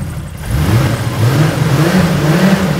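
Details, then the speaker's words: 2JZ-GTE turbo-swapped Mercedes SL500 with 6-speed manual, new plugs, cleaned injectors, two previously dead injectors now firing: smooth even engine note rising steadily with revs, no misfire; all cylinders firing, normal running. "I reconnect them it sounds happy again"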